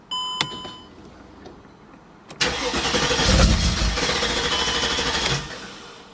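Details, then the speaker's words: Mercedes CLK55 AMG M113K being checked for O2 sensor issues, cold start: starter whirs, engine catches, runs rough and stumbles briefly then smooths quickly; cause not pinned down. "yeah it clears up quick it's just it's going to stumble a little bit when it falls"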